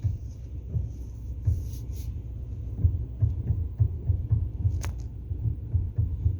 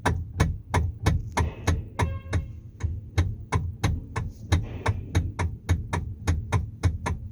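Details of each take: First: 2013 Kia Sorento after replacing the steering column coupler rubber damper: low even engine rumble while turning the wheel, steering knock gone; normal. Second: Sharp knocks about three a second as the steering wheel of a 2013 Kia Sorento is turned back and forth. The knock comes from a worn steering column coupler rubber damper, fixed by replacing the damper.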